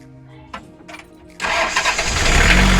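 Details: Mitsubishi L300 diesel after timing belt and injection pump timing adjustment to fix hard starting, white smoke and weak pull: short pause, then catches at once and settles to a steady, even clatter; normal easy start.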